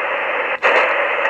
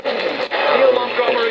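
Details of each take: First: ATS-25 receiver after firmware update, tuning through a band on SSB: even static hiss with only one brief dropout and little chuffing; muting chuff much reduced, normal SSB tuning. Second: ATS-25 receiver on new firmware, tuned to BBC Radio 4 long wave with AGC switched off: harsh, garbled hiss and crackle smother the station; overload distortion.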